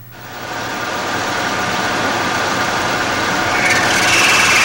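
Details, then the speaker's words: Brown & Sharpe automatic screw machine cutting: harsh, buzzing chatter growing louder and shriller, leaving a rough, uneven part surface; chatter caused by vibration. "the sound you are hearing is chatter you must learn to recognize this sound as an indicator of trouble"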